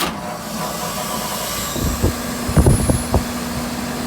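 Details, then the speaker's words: Walk-in cooler scroll compressor that would not start, running again after its wires were swapped and restored: 14 A inrush, about 10 A running, suction pressure low. Steady hum with some clunks; something possibly lost inside. "running so we had 14 amps on startup drawing ten amps right now"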